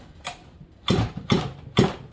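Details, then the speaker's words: Chainsaw with lots of run time pulled over slowly by hand; sharp firm thump every half second, stronger compression than a new build since the rings have seated during break-in. "okay so same thing this one this saw's got tons of time here see listen it's more of a it's a different sound okay so as you break in your saw you will get more compression the rings will file in and they'll seat"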